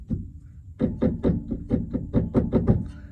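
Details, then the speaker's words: 1997–2001 Vectra B rear suspension: rapid dull hollow knocking, about four per second, as the car is struck by hand, from a loose, worn rear stabilizer bar bushing; heard inside over bumps even after shocks, bump-stop kit and bushings were replaced; fixed by replacing the bushing. "isso barulho aqui incomoda dentro do carro então é isso troca a bucha da barra estabilizadora resolvido o problema"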